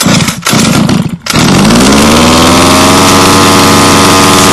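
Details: HPI Racing Baja 5B petrol RC car on first run, fuelled with 87-octane petrol and the supplied two-stroke oil. Choke applied and a couple of pull-start tugs, then choke off. It fires and settles into a steady, loud two-stroke buzz that climbs slightly and holds: a healthy run.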